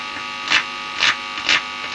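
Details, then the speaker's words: 1960s record player with modern cartridge on adapted arm, driven through a development amp on a poorly filtered power supply: constant buzzy hum with soft crackles about twice a second; mains hum from the supply. "obviously unfortunately probably still going to get some horrible noise or i have tried to switch off anything i can switch off um [Applause] so it's still pretty bad but you can hear there"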